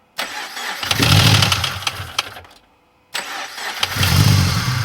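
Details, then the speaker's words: Subaru BRZ, first start after engine rebuild following heavy internal damage, oil and fuel primed: starts cleanly twice into a smooth idle, no ticking or knocking; an earlier noise suspected to be chain settling or a faulty timing chain tensioner. "all right boys and girls the car is on we are good no weird noises I guess that was just a chain like settling or something or it could be the tensioner but we are good"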